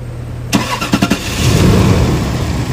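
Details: Toyota Land Cruiser push-button start with no green light and no crank from inside, started externally via starter relay direct current: a few heavy starter turns, then the engine catches and settles into a steady run; normal cranking and start.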